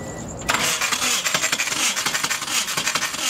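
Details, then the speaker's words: Compression test while cranking a 600+hp GSX: fast, light, uneven cranking with almost no compression pulses, about thirty on number one cylinder; owners first suspected timing or fuel pump, diagnosed as bent intake valves, head being rebuilt with new valves. "oh my god you have no compression at all dude none it like hardly goes up yet thirty compression and the number one cylinder"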